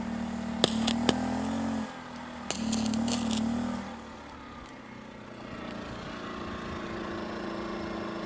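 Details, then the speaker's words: 2,000-watt generator on non-ethanol fuel powering a Bestarc flux-core MIG welder at 70 amps. Steady hum, sharp crackles as the arc strikes, then the engine note sags and dies away: the welder instantly overloads the generator. "Wow, that instantly overloaded this generator."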